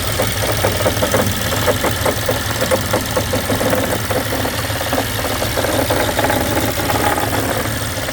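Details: 2012 BMW X5 N63 at idle: fast, regular metallic ticking and rattling from inside the engine; timing chain suspected, eventually fixed by installing a new engine.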